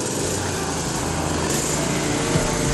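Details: 1990 Toro GTS lawn mower, single-cylinder engine started after transmission repair: steady, even buzz with no knocks or surging; normal running.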